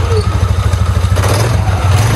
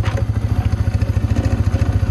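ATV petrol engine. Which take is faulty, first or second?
second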